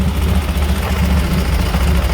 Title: what is that, horrible ticking sound? 2004 flhtcuise 103